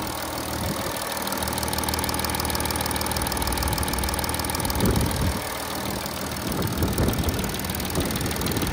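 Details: Audi A8 D5 with 210 kW 3rd-gen 3.0 TDI, listened to before timing repair; dealer called it normal acoustic noise; steady diesel idle with thin high-pitched whine over clatter, consistent with worn camshaft sprocket timing gear.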